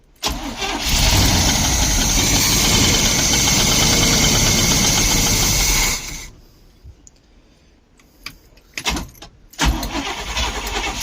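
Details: 1972 Barth motorhome, not run in about 15 years, cranking steadily about four beats a second for six seconds, briefly catching then dying; fuel pump not heard, and the fuel filter was leaking, starting a fire just afterward.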